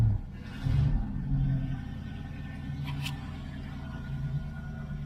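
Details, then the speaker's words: 1970 Ford Mustang Mach 1 V8 on its second start after long storage, running on a temporary tank with fresh gas. A low rumble that surges and dips with a loping beat; rough running the owner hopes will clear with good fuel. "I think it'll clear up pretty quick. I'm hoping good fuel in it."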